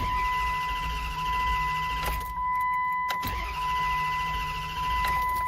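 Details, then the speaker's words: 2004 Dodge Durango ST 4.7L V8 with intermittent no-start: starter spins steadily in two bursts under a constant chime, engine never catches; crank no start, throttle position sensor suspected, not confirmed. "So, right now it's not starting. All right, let's check out the TPS sensor."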